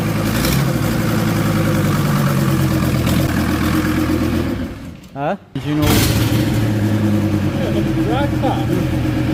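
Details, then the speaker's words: VW T4 van running on its old engine, first start after two years off the road: it fires and picks up cleanly on a couple of revs, then settles back evenly with no knocks or misses; normal running. "well there we go she is [Music] alive she's alive oh that was nice to hear"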